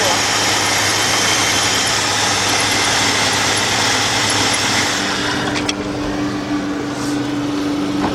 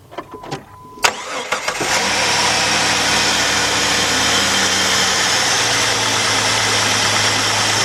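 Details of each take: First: 2002 Jeep Grand Cherokee Laredo 4.0, code P0302, check engine light flashing, runs rough: loud idle with uneven loping beat about three pulses a second under a hiss; cylinder 2 misfire, spark plugs to be replaced. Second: 2002 Jeep Grand Cherokee Laredo 4.0 after new spark plugs and coil for a P0302 cylinder 2 misfire, air cleaner refitted: brief crank then a steady, even idle with no miss or stumble; running great.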